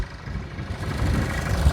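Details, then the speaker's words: Car inspected at auction, looks brand new under the hood, with water coming from the exhaust and a loose hose of unknown purpose: steady low idle rumble with no knocks, ticks or misses; engine sounds like it's running fine. "But I mean, it sounds like it's running fine. Yeah, no, it sounds fine."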